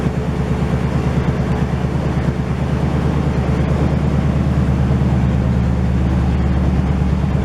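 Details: 1968 GMC truck on its first start in 20 years after a lot of work: a deep, loud V8 idle with an even, steady pulse that settles as it warms, with no knocks or misfires. It runs healthy with only minor leaking.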